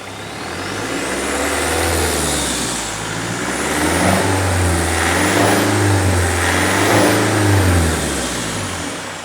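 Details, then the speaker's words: Mercedes CDI diesel in a T1 camper van conversion, warm at 60 degrees after 45 minutes idling, no dash faults, alternator charging: smooth rise and fall through several blips, even note, no knocks or rattles; normal revving. "By Jove, you know, I think we may possibly have got it. I think so. It sounds nice."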